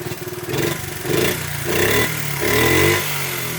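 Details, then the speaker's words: 1973 Honda Mini Trail 50cc single-cylinder running well after the carb was reset (idle screw and air-mixture screw each one turn out). It started a little clunky, with even popping and clean throttle blips, improving by the minute as Seafoam cleaned the carburetor. "As you can see, it's running very well, I might add. But anyway, started right up, a little clunky, and by the minute, literally, you could hear the engine improving the way it was running."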